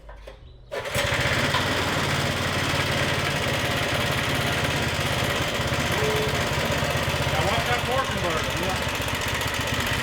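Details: Stage 2 Predator 420cc single on a Polaris ATV, rebuilt after muddy water ingestion (rings cleaned, valves lapped, headwork): steady fast-idle thump, even firing, slightly lazy note; running fine, needle adjusted but still needs leaning out.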